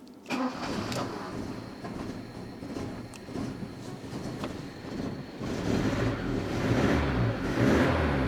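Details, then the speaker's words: 1984 Opel Ascona 1.6S, 90 hp, with new spark plugs after a faulty plug: engine catches and settles into a low but even idle with all four cylinders firing; low idle possibly due to the missing air filter. "oh yeah it was the spark PLU once again air is idling very low but it could be because it's missing an air filter and and all that"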